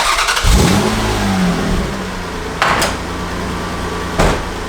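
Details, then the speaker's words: Toyota MR2 engine started and revved twice: raspy puff under the exhaust note from an exhaust leak where the headers meet the exhaust pipe. "That's the exhaust pipe right there, and it's just leaking from where the headers are."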